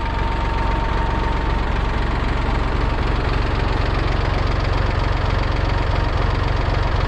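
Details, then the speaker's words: 1966 David Brown 880 Selectamatic diesel tractor after rebuild of its Dowty hydraulic pump, which had caused lift-arm problems; steady, even diesel beat of about four firing pulses a second with no knocks or whine. Normal running. "so uh yeah the pump's working great we haven't had any issues with it um haven't had any issues with the tractor again"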